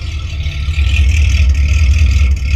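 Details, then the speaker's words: 1972 Rover P6 3500 V8 automatic barn find, running with the holed rear back box removed: a deep, booming V8 bark that swells with throttle, far too loud and raw. Loud exhaust from the missing rear muffler. "yeah I thought about straight piping it from there to the box but yeah you need that back Muffler that is loud"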